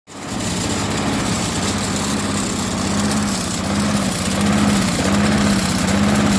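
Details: Briggs & Stratton 6.25 HP mower engine with rough idle: pitch wavers up and down instead of holding steady.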